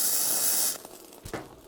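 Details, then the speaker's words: Bestarc entry-level gasless flux-core MIG welder on a 20 A circuit, on thick metal: even steady crackling hiss, smooth consistent arc, still slightly hot; normal flux-core welding. "Wow, that welds really nice. Still a little hot, so let's crank it down a little bit."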